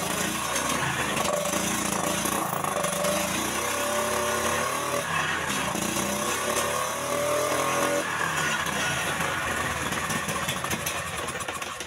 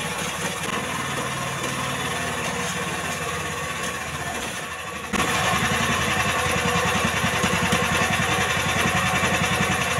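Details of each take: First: Jarwo Crown rice transplanter small single-cylinder engine, hard to start, tested after carburetor refit: stumbles and hunts unevenly without picking up revs, running rich; rough running. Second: Jarwo Crown rice transplanter small single-cylinder engine, previously hard to start, after carburettor fuel-screw adjustment; ticks over evenly, then picks up to a steady faster beat after five seconds, running clean and even.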